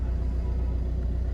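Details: 2007 first-generation Maruti Swift diesel, 160,000 km, after engine and gearbox mount replacement fixing a running vibration complaint: low, even diesel idle rumble with no shudder, knocking or rattle, mirror now still; healthy smooth idle.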